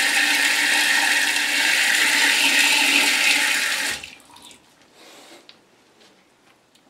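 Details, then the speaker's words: Septic-line toilet after plunging to clear a backup: a strong rushing flush for about four seconds, then gurgling as the bowl drains away without refilling; the line is nearly clear. "but you can probably hear it gurgling a little bit. Yeah, that water's going down. It's not filling back up."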